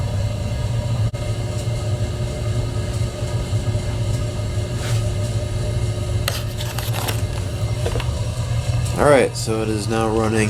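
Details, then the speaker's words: 1974 AO Smith copper natural-gas boiler, 160,000 BTU, first startup of season on cold day, thermocouple, inlet regulator and relief valve replaced last year: steady low hum, even burner roar after initial big flare-up, no knocking; normal operation. "sounds good i would have liked to get a view of that event down at the bottom when it first starts up because it's a pretty big flare-up at first"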